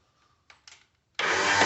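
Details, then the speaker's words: Craftsman garden tractor with a no-start: after replacing the five-prong key switch, parking brake set, PTO off, out of gear, a couple of clicks then a hissy whirr as the starter engages but cranks lazily and the engine never fires; owner blames a dirty starter motor, to be pulled and cleaned. "all right the starter is engaging uh now my starter motor is dirty and it's not wanting to kick up so I'm gonna have to pull that and clean that"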